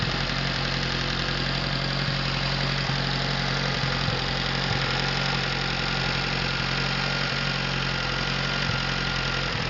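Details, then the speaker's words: Overhauled Atomic 4 inboard boat engine (new pistons, rings, valve springs, plugs, wires, water pump) on test stand, little throttle, no choke: steady, even idle with smooth beat, no knocks or misses; normal. "I'll just give it a little gas here. Don't usually use the choke."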